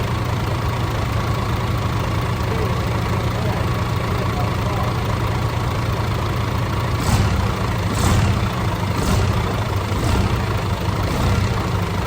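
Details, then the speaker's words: DAF CF85 Euro 6 truck diesel on first start after fixing a top-end knock: worn inlet camshaft and rocker arms replaced, exhaust brake, shells, filters, rocker gasket, tappets adjusted. Steady even low-rumble idle, no top-end tapping, faint exhaust blow. "Just so you don't think we're bullshitting, it starts. It sounds alright. Pretty happy with that."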